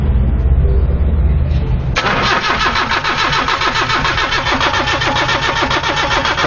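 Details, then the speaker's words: 1993 Nissan Tsuru (red-top engine) that starts, dies and won't restart once the key is off: starter cranks steadily about two beats a second with no firing; no fuel pressure and no injector pulse while cranking, ignition on. "y no hay ni presión de combustible señores no hay nada fue absolutamente nada"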